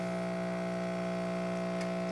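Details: Electrolux washing machine that hums but won't spin: only a steady electrical hum with no rising whir or drum movement, motor energised but stalled, traced to a fault at the capacitor.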